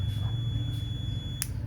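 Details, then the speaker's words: Multimeter continuity test on a gooseneck desk lamp's KCD1-101 rocker switch (250VAC 6A/125VAC 10A): with the switch on, a steady high beep sounds continuously, then cuts off with a click; the switch is closed and conducting. "so if I put one lead of the meter here work it off all right turn on the switch you hear the buzzing sound all"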